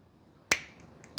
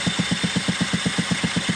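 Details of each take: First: Scooter NGK screw-type two-stroke spark plug cap pushed onto the plug: two sharp clicks about 0.7 s apart as it snaps fully home, confirming it is properly seated. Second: Scooter cranking during a spark test with the ignition coil deliberately disconnected; even cranking thumps about four per second with no cracking spark sound at the plug lead and no visible spark; no spark.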